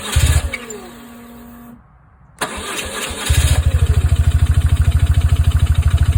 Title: 2002 R1150GSA no start after HES and everything new in tank